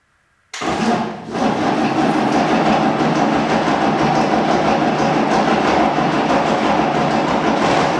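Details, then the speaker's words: Unimog 416 diesel saved from scrap, first start attempt: starter turns the engine at a steady even pace with one slight cough but no firing; cranks without starting, likely needs fuel. "Well, it does turn. That's good news. And it even did a slight cough at one point. So, I think we just need a bit of fuel."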